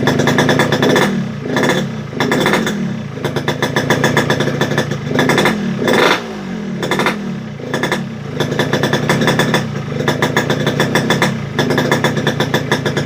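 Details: Yamaha RX-King two-stroke that won't idle, feels heavy at low revs and runs too rich. The crackle surges and sags unevenly without settling; all four reed valve petals were found leaking.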